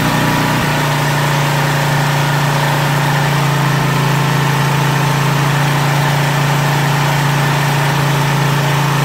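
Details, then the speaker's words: Craftsman 2700 PSI pressure washer with Briggs & Stratton 275cc OHV, idle-down actuator worked manually: a loud, steady high drone at full throttle with no load. The owner says that is why it surged, and it was running lean. "okay that's what the problem was all right that was trying to pull it's trying to uh by default it's going to a full throttle without a load so that's why it's surging that and it was running lean"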